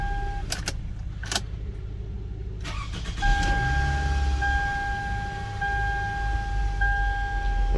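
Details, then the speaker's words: 2005 Toyota Camry being diagnosed for crank-no-start. With no codes and immobilizer permit start OK, after a door clunk it catches quickly at about three seconds and settles to a steady idle with a chime. Normal start. "so now that we're back in its parking spot real time let's see that's four times I've restarted it"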